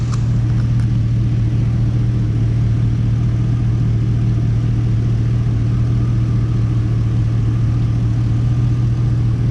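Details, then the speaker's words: Stock 5.3 LS V8 in a Cadillac Escalade, warm and idling in park after cleaning a gummed-up throttle body: smooth, steady low rumble with no dips or stumbles. Normal idle; it used to dip low when put in gear. "so I'm gonna go ahead and take you inside here to but just listen to it idle it sounds a lot better to me"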